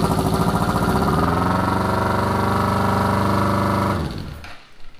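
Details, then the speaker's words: 1981 Honda CB750 café racer, fiberglass-packed muffler side: steady deep muffled four-cylinder burble at idle, even and unbroken, then switched off at about four seconds; normal running, much quieter than the unpacked side. "so there is a huge difference between the exhaust on this side with the fiberglass and on the other side without it"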